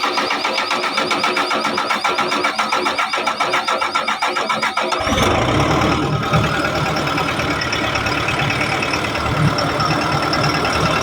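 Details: Backhoe diesel that would not start, injector repeatedly clogging (cleaned, recalibrated), pressure pump suspected: after refitting, cranks about five seconds, catches cleanly and settles into a steady, even idle.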